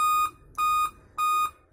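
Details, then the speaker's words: Dell computer powers on with no display and gives five steady high-pitched beeps, each about a third of a second on and off, at power-on: the five-beep error code for a failed CMOS battery. "और अब ध्यान से देखेंगे तो इस पे जो beep sound आ रहा है वो फाइव टाइम बीप साउंड आ रहा है"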